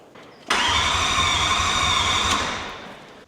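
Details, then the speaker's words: 79-series diesel ute after starter motor replacement and new injectors: fast, even cranking for about three seconds with a steady pulsing beat and no catching; new starter spins it over far better than before. "works. Didn't spin over like that before."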